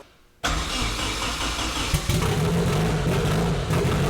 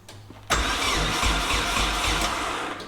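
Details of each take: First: KA24DET-swapped Datsun 510 wagon on MicroSquirt ECU, first start after fixing cam sensor offset, no idle air valve: catches, then surges and stumbles, only staying alive on throttle; rough running, very lean, timing stuck at 15°. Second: KA24DET-swapped Datsun 510 wagon on MicroSquirt ECU, cranking with no fuel: the starter turns the engine briskly and evenly at nearly four beats a second without firing. It cranks much easier than on the previous attempt, with no oil pressure yet. Normal cranking.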